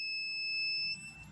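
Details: DC-to-AC inverter, switched on with its power switch so a bulb bleeds the capacitors down before hookup: a short, high, steady electronic beep that fades; normal startup tone.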